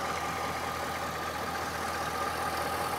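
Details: 2006 Chevrolet Silverado Z71 aluminum-block V8, reported for a clunk when stopping and a noise under hard acceleration: quiet, smooth idle with a soft, even hum and no knocks or ticks. Transmission fluid dark, burnt-smelling and probably due for a change. Normal idle.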